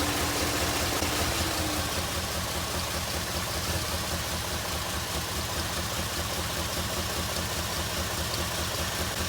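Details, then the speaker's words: 2002 Jeep Liberty Limited with a flashing check engine light, warm at idle: uneven, lumpy train-like chug about two or three beats a second, engine vibrating more than it should; rough idle, cause not yet found. "Hear that chugging? I don't know if you can see. Engine's vibrating. I don't know if you can see it, but it's definitely vibrating more than it should. It kind of sounds like a train. Chug, chug, chug."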